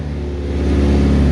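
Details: Turbo LS VTEC EG Civic hatch first start up again, cranked first for oil pressure: engine catches and runs smooth and steady, an even hum rising slightly, no knocks, ticks or misses; sounds healthy.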